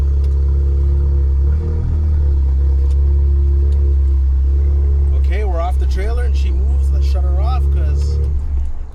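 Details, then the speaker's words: Newly bought German car of unknown history idling after coming off the trailer, oil level unknown; deep, loud, steady drone with a coarse rumble underneath, exhaust harsh and boomy, cause unknown. "It sounds terrible. >> Sounds terrible. >> I hate how it sounds. That sounds so bad."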